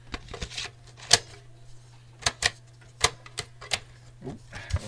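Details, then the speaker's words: 3.5" floppy drive module (Horizon 78) from a small OEM computer with a 9" screen: uneven sharp clicks and clunks, about one every two seconds, as a disk loads and ejects; rough, grunchy. Owner suspects it needs lubricating, maybe an old spring. "yeah it's a bit grunchy they do come out probably just need lubricating"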